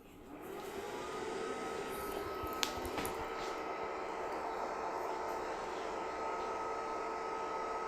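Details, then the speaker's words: JML Dri Buddi Elite wardrobe-style clothes dryer on first use, cover on, heater blowing hot air inside; soft, steady airy hum with faint constant tone, no rattles or scraping; quiet, normal fan operation. "as you can see there as you can hear it's a it's actually not very loud at all once it's running with the cover on and the hot air is going inside there"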